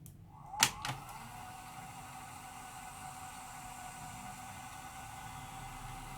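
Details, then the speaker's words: Sanyo VTC-H5 portable Beta Hi-Fi VCR being tested after repair, before case refitted; a couple of mechanism clicks, then a smooth, even high whir of fast tape winding with no slipping or wobble; normal fast-forward. "Giờ tôi mở nguồn lên nè cho C băng vào bây giờ máy đã login thành công Đây chính là tua băng"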